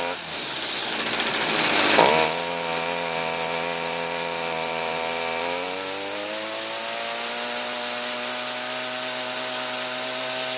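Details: Stihl FS38 two-stroke grass trimmer, after carb adjustment and with trimmer line refitted: a sharp start, then a steady high buzz that settles and holds even with no surging or bogging. The engine runs healthy.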